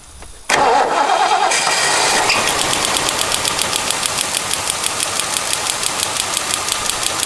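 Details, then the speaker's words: 1977 Lincoln Continental Town Car, 400 ci, first start after years sitting: engine catches and idles while a sharp, regular snapping tick about three times a second rides over it; coil lead arcing to ground, needs a new wire. "wow you guys hear that popping off it's just direct shorting i have to get another wire on that yeah it's just plain old arcing"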